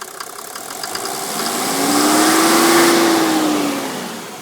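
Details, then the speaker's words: 1991 Mercedes 350 SDL with a 1986 300 SDL diesel engine (120,000 miles), in park, idling at about 600–650 rpm. It knocks six to seven times a second at idle, fading as it revs. Owner unsure if it is normal. "but I just want to make sure that knock in there does not abnormal you see if I can rev this up I'm not sure where the throttle is but it goes away when you rev it up"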